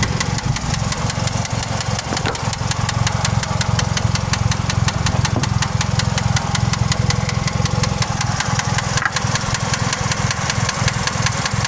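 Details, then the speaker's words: 2001 Pontiac Grand Am 2.4 LD9 idling: sharp bottom-end knock about three per second, still present after rebuilding crank and rod bearings, oil pump, timing chain guides, lifters; owner suspects wrist pin, unconfirmed. "So for this unit here, has a rod knock. It still has that rod knock."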